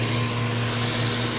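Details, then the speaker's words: Centrifugal pump trainer with an acrylic pump driven by an electric motor through a magnetic coupling. The suction valve is throttled to about -18 to -20 inHg vacuum. Steady hum with a gravelly, rock-like crackle as vapor bubbles collapse: pump cavitation. "you start to hear that sound that sounds almost like rocks going to the pipe there's no debris there's no solid materials are here that solid sounding sound is really the collapsing of the vapor bubbles as they go back to the liquid"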